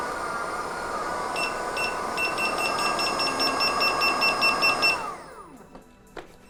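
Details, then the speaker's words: Begode electric unicycle on a lift test with no rider: quick high beeps about twice a second over a climbing motor whine at about 61–62 mph, then spin-down; default 80 percent power alarm. "so as you saw there the beefs went off around 61 and 62 miles per hour so that meant that 80 percent of the capacity was being used at that speed with no weight on it"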